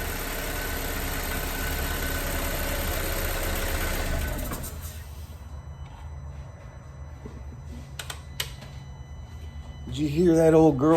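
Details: Audi B7 2.0T four-cylinder run briefly right after an oil and filter change, near operating temperature: rapid ticking clatter for about four seconds until fresh oil fills the filter, then shutdown; lifter tick on dry start.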